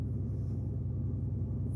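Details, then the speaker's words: 2008 Pontiac Grand Prix 3.8L V6, 148k miles, check engine light, P0300: low, lumpy rough idle; scanner shows cylinders 5 and 2 misfiring, which share a coil pack, and cylinder 5 gives no spark; coil pack suspected. "miles very rough idle I don't know if you can hear that got serious misfire so let's see what we got"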